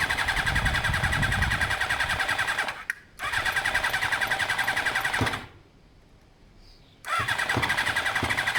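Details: Carbureted motorcycle being started: rapid whirring starter bursts with pauses, never catching. A carb balancing port was left uncapped; it came close to starting, and owner plans to cap it and add a little choke.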